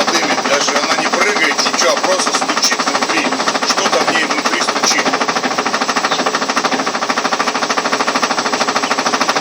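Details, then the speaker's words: Ariston washing machine on spin with a normal laundry load: loud rhythmic knocking, about one and a half hits a second, over the spin whir; the machine stands steady and nothing rubs, something inside is knocking, cause unclear. "Вот даже показывает промежность везде. Такой стук не должен быть. Я думаю, вы сами поймете."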